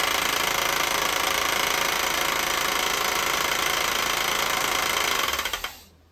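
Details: 1988 Mercedes 560 SEC (W126) petrol V8 idling with a steady knock, about three or four a second, that grows louder until the engine has to be shut off.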